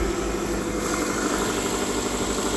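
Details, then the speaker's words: Copart Subaru bought unseen with about 188 miles shown, accident-damaged but running: steady, even idle with a constant low hum and no knocking or misfire; the motor sounds okay. "the motor sounds okay"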